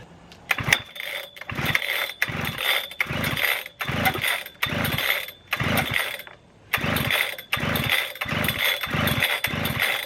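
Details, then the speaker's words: Husqvarna 3120 XP chainsaw: ten or so quick pull-start bursts, each a brief rasp with no firing; gasoline all over it, flooded engine. "so yeah definitely flooded out somehow you see there's gasoline all over it so flooded way too much"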